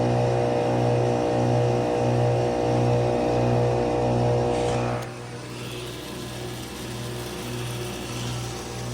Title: (late upload) my 2020 carrier AQS and Rheem classic series heat pumps running in heat mode